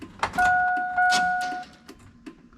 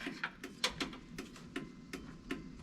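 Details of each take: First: GM NBS Sierra/Silverado truck after a factory power window, lock and mirror swap, battery just hooked up: a steady electric whine for about a second, then clicks and light knocks as the window stops; power window operating normally. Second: NBS Silverado/Sierra during a factory power window, lock and mirror swap, battery just reconnected: sharp, quick, steady clicks like a flasher relay in a quiet cab. The hazards are on, suspected because no light switch is installed.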